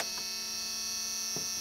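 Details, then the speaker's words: 1994 Dodge 12-valve Cummins diesel truck abandoned in a field for over 5 years: steady high electronic key-on warning buzzer, louder after crimping the cable connections; engine not running, fuel gauge still showing nothing. "louder buzzer so still not showing anything on the uh oh that's annoying"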